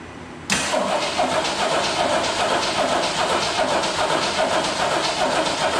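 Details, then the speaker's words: 1971 AMC Gremlin X with temporary donor engine from a 1969 Rambler American, first start attempt after install: sluggish, labouring crank about two and a half turns a second that never fires; owner suspects a weak battery; fuel leak found afterwards. "hmm i'm gonna have to put a battery tender on that battery"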